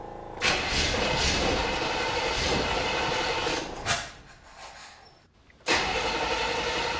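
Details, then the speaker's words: 1979 Chevy Caprice, 2-stroke oil and gas poured into the cylinders: steady even starter churning, about four beats a second, a little pop but never catches; cranks but won't start, no fuel yet. "Woo! Little pop. No fuel yet."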